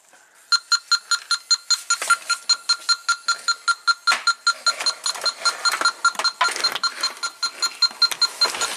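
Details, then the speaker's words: 1993 Cadillac Allante V8 with low A/C charge: an electronic leak sniffer beeps fast and steady, about 2.5 per second, where the lines meet the compressor. Refrigerant leak detected. "so under here we have the compressor you guys hear that kind of like a little buzzing well that's refrigerant leaking out"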